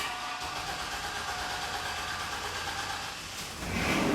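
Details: 1995–2005 GMC Safari van, first start after replacing the fuel pump, pump not heard at first: a hissy, uneven churn with a faint steady whine, then louder running takes over. The engine starts fine after the repair.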